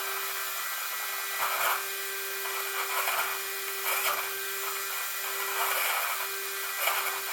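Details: Traxxas Maxx RC truck steering servo after fitting a GPM steering bellcrank and servo saver, loose when powered off: steady buzzing hum with rough grinding bursts every second and a half; owner suspects the servo is about to die.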